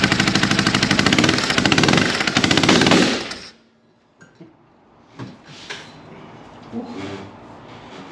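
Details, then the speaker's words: Polaris RZR 900 fuel-injected, plugs cleaned and regapped to 0.030 in: rough, uneven chuffing with sharp pops about three per second blowing back through the intake, then the engine quits; misfire, owner suspects a stuck valve, not confirmed. "Well, that don't sound good. As you guys can see there, it's clearly blowing something out of the carburetor here. So I don't think one of the valves is closing all the way."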